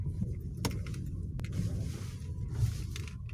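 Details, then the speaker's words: Ravon R3 cabin while driving on rough road, after door trim panels sprayed with silicone (squeak had seemed to come from door locks by middle pillars): only steady low road rumble, no creaks or squeaks — door trim squeak fixed. "ну вот щас вот едем после того как я помазал силиконом побрызгал карты дверей дороги отвратительно конечно слышать что ничего не скрипит"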